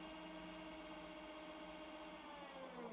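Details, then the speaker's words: 1000 W 36 V DC electric motor running on its controller with a potentiometer replacing a suspected faulty throttle pedal; steady even whir with clean tones around a few hundred hertz, no knocks or rattles: controller and motor working normally. "and the motor is running. This is a 1000 watt 36 volt DC engine, electrical, that"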